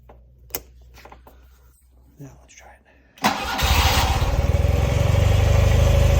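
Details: 1974 BMW R60/6 twin, cold start: a few quiet clicks, then it catches on choke and settles into a steady, even idle that firms up smoothly; normal cold start and idle.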